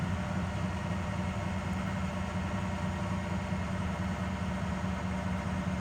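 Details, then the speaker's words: 2006 Ford F350 6.0 Powerstroke diesel, exhaust note, easing off throttle to about 1900 rpm: deep drone with an uneven, lumpy undertone and heavy shaking despite new injectors, filters and sensors; owner suspects aftermarket cam/crank sensors or the throttle pedal. "and let out and it sounds kind of rough out the pipe that's in about 1900"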